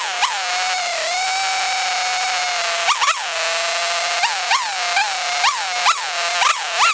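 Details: Old weed trimmer after carburetor cleaning, new fuel lines and a new diaphragm (suspected dirty diaphragm): the two-stroke holds a steady high buzzing idle and picks up cleanly on quick throttle blips, running normally again.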